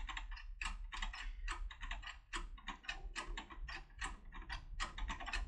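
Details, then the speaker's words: Securemme/SAB CAM/Border 3+3 lever lock with a turbo decoder tool: rapid, uneven metallic clicks at about three per second, apparently as the tool hits the lock's anti-picking traps. "this is where clicking clicks happen you can hear I've mentioned and this clicking means that it hits a household"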